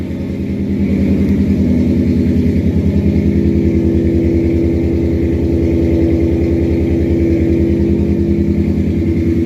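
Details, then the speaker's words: 1963 Studebaker Champ pickup running again on an electric fuel pump with filed points after sitting; steady, even idle with no misses or knocks once given consistent fuel. "All she needed was just some consistent fuel. That doesn't sound bad at all."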